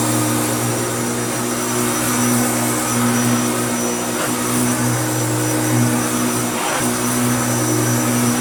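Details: Hoover Turbopower U2724 upright vacuum after restoration: strong steady motor hum with a smooth even roar and no rattles or scraping; runs healthy.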